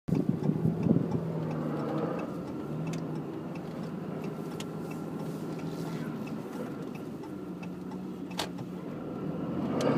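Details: 2014 Dodge 2500 Cummins diesel with 6-speed manual: a rough, gritty grinding runs steadily through the drone, only when towing a rail buggy or a 9,000 lb camper, never unloaded.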